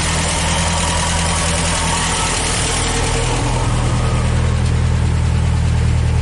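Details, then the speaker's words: International Scout 80 engine running after steering work, warmed up, carburetor untouched; steady low rumble idling high and slightly uneven; rough high idle. "all right so as you could hear it uh it runs and surprisingly I didn't have to mess with the carburetor"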